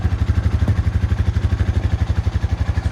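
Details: 2013 Honda FourTrax 420 ATV after a water ride, automatic choke and its power fixed: even, regular thumping at about four beats a second, steady without stumbles; clean normal idle.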